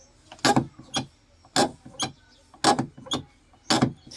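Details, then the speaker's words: Tata Nexon door handle: each pull gives a sharp clack then a second rattling click, a loose-sounding mechanism; noise loudest on one door, faint on another, absent on others, cause unknown. "इस तरह से आवाज़ आ रही है इसमें। देखना, इसमें नहीं है, इस डोर में नहीं है, और इसमें इसमें भी हल्की सी है, और इसमें ये आवाज़ उसी डोर में ज़्यादा है।"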